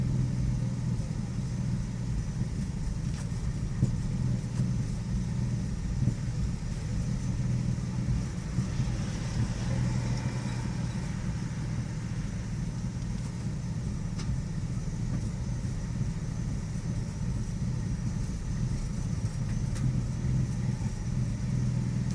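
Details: 2001 Nissan Xterra petrol engine with an intermittent rough idle, a deep uneven rumble that stumbles now and then, rough for 5–10 minutes then normal for 5; the vehicle also has a misfiring problem.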